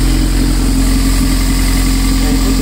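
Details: Toyota MR2 Spyder just fitted with a DIY 5 psi turbo kit, small oil leak at a fitting: steady even idle with a smooth low rumble, no misses or knocks; running normally.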